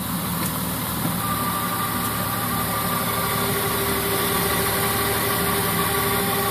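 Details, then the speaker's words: 2003 Honda Odyssey, about 200,000 miles, on its second transmission rebuild, idling in Drive: steady whine, thin high tone plus lower hum, only in Reverse and Drive since Jan 2016; shifts fine, solenoids and screens checked, cause unknown. "go ahead and put it in Drive hear that hey granny noise anyone out there know what that is"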